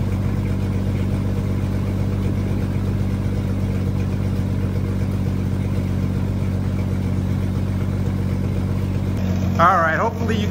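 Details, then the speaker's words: 30-year-old Jeep ZJ on a very cold start after sitting for days, with nights in the 30s °F: loud, raspy low rumble with fast steady puffing at idle. Exhaust is escaping through holes before the muffler. Exhaust leak. "me over that exhaust so we definitely got a leak there"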